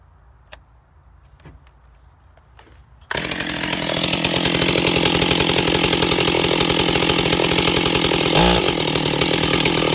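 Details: Ported Stihl 028 Wood Boss after a weird run condition was fixed; saw fires and holds a steady, even high-pitched buzz with no surging or stumbling: normal running, running really well.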